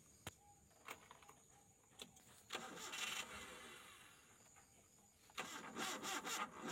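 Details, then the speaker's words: Colt T120SS engine started after long sitting and carburetor cleaning and refit: a few cranking bursts, then it catches and settles into an even idle; starts and runs well. "Wis istimewa lur."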